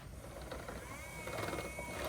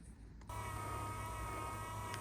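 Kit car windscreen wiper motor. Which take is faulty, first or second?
first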